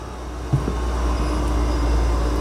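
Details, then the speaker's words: 2019 Smart ForTwo EQ after BMS removal for contactor cycle counter reset: steady low even hum over a low rumble; electric AC compressor running normally on power-up. "I can hear the AC compressor going so we're in drive now"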